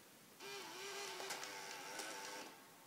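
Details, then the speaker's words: Water-damaged 2010 unibody MacBook powering on with no hard drive installed; the optical drive gives a thin, wavering whir with scattered clicks as it spins up and seeks. Owner suspects a DVD is stuck in it. "okay well it turns on that optical drive sounds like there's a DVD stuck in it"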